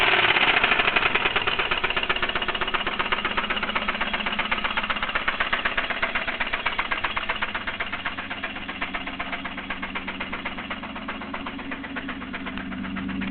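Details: Fast, sharp, regular top-end ticking, about four per second, over a steady idle on a 3000GT; owner suspects lifter tick or a spun bearing, cause not pinned down.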